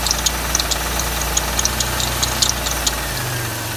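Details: Sharp metallic ticks about twice a second ride over a steady low idle, irregular but persistent; audible engine knock, cause unclear.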